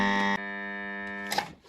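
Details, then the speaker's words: Haier air conditioner compressor, locked/seized, with the original never-replaced 40 µF start capacitor: on power-up a steady, loud electrical buzz with no spin-up, the motor never turning over before power cuts. "压缩机卡的很厉害啊嗯响啊起不来再插上电试一下声音特别明显"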